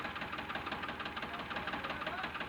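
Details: Tractor with an abnormal engine sound: a rapid, regular knock about nine beats a second stays unchanged when one cylinder's injector pipe is loosened, so that cylinder is suspected of not firing.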